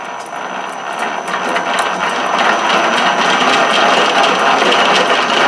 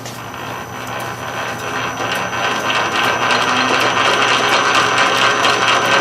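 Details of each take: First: South Bend 13-inch lathe after repairing the sliding gear shaft and replacing the detent spring, running at higher spindle speed: fast steady gear chatter with rattling tick rising with speed; gear mesh noise suspected, exact gear not pinned down. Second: South Bend 13-inch lathe after repairing the sliding gear shaft and replacing the detent spring: steady metallic gear whir with light, even ticking about twice a second; normal gear train noise, no longer rubbing the banjo.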